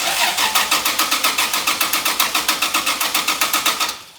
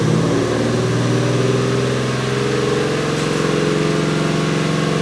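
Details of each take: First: 2JZ-swapped Toyota van, engine reportedly about 30,000 miles, key out so no fuel: starter jumped directly, even brisk chugging four to five beats per second, no firing; starter good, wiring fault suspected. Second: 2JZ-swapped Toyota van with inoperative gas pedal, possibly old fuel: engine holds steady raised speed with even hum, never dropping to idle; throttle stuck on, revving high.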